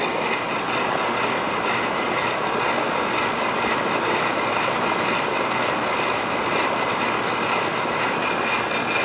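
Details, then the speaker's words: Old Rheem 3.5-ton AC condenser restarted after fixing contactor low-voltage short that blew transformer; suction pressure 50, low airflow, 15° superheat. Loud hiss and hum with uneven coarse edge; technician says it doesn't sound good. "not sound too good she's a r classic"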